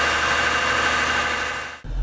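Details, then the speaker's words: Mitsubishi Galant 8 with 20-plus-year-old 6A13 V6, after replacing hydraulic lash adjusters with AJUSA units: smooth, even idle with steady low hum, no lifter tapping or ticking; repair successful. "как вы видите как вы слышите все хорошо никаких стуков компенсаторов нет процедура прошла успешно"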